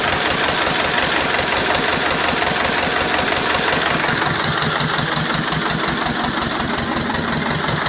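Steady, even diesel clatter at a slow idle, each firing pulse evenly spaced with no misses or knocks; small tractor engine running healthy.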